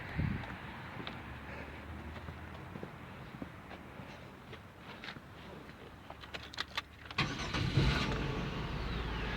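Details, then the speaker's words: 2000 Oldsmobile Silhouette 3.4L V6, 170K miles, after new fuel pump for intermittent hard starting: quiet cranking, catches near seven seconds and settles to a steady even idle; fuel pressure about 46 psi running, fixed. "That's showing about 46. Should be 42 to 50, I think. So key on engine running, I think we're good."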